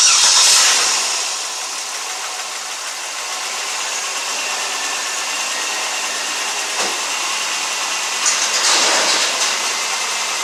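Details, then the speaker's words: Pontiac Grand Prix 3800 V6, automatic, after a P0300 misfire repair (purge valve found stuck open): cranks, catches and settles to a steady, even idle; misfires on cylinders 1, 2, 4 and 5 no longer present. "definitely run a lot better here's our misfire four we have misfires on one and four they're no longer present five and two no longer present so that sounded a whole lot better than it would have did before"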